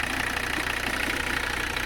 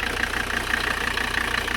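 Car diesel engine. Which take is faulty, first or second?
second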